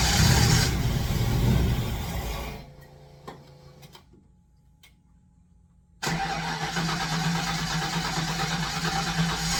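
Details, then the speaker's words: Fox Body Mustang: catches on sprayed starting fluid, runs rough a couple of seconds then dies; fuel pressure present, plans to check factory injector harness ground. "all right so it'll bark if it has fuel so the fact that I've got fuel pressure unknown quality of fuel but there's definitely liquid there should be enough to bark"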